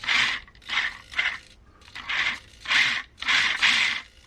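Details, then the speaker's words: Vanquish H10 Optic RC crawler, Knight Customs working interior, servo driven on throttle channel 5: short bursts of high buzzy gear whine, each ending in rough chatter; owner plans to swap to quieter SG90 servos; servo chatter. "And see, you can see how chattery that noise is. So I probably will change it to SD90."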